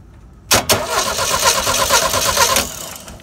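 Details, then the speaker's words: 1974 Volkswagen (Beetle) that wouldn't start, starter tested by jumping the solenoid to the battery. A quick, strong two-second whir, then the engine catches; the starter is good, and the fault is the seat belt interlock relay. "starter is good we have a interlock switch problem"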